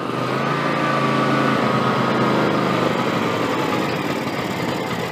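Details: John Deere X300 with Kawasaki FH-series engine, 17 hours, after cleaning a stuck fuel shut-off solenoid and refilling the carburetor bowl: the single catches and settles into a steady, even patter, with some black smoke. Normal idle.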